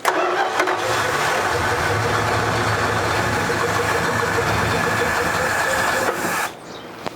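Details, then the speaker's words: 1986 Dodge Ram D100 that sat under a barn for 15+ years. Rough, uneven idle for about six seconds on fuel sprayed into the carburetor bowl, then dies; the carburetor is suspected of not squirting fuel. "it's only running off what you're spraying ain't it I think so"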